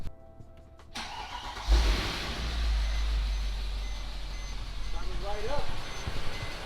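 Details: Wrecked Mercedes W212 E63 AMG under rebuild, first start after the coolant system was completed, with the bumper still off: a brief crank catches at once and settles into a strong, even idle with no misses. A healthy start.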